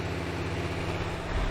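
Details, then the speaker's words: 1970 Rover P6 3500 on a hot day (about 100°F), idling after an oil change to circulate oil, mic at the front: smooth, even low rumble where fan belts are the loudest noise, no knocks or misses. A healthy idle. "So you see standing right here, the noisiest thing is like the fan belts and everything. And it's not very loud in the car."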